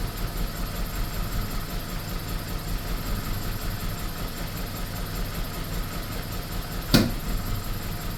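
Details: BMW E46 318 at idle: low, uneven idle with an irregular stumble in the firing beat and no steady rhythm; rough running with misfires, cause unknown.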